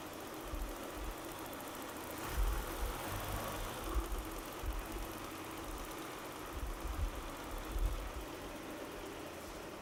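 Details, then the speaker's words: Citroën, cold-idle stalling complaint; engine now warm idles low and even with no misfire or knock, so fault not showing. Mechanic rules out ignition, suspects injection: coolant temperature sensor or ECU, plans to replace the sensor. "toujours problème de ralenti à froid elle cale elle tient pas"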